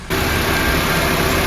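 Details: 2006 Honda Civic after alternator and belt reinstall, reading 14.3 V: steady, even idle with no whine, squeal or ticking from the belt end; normal idle.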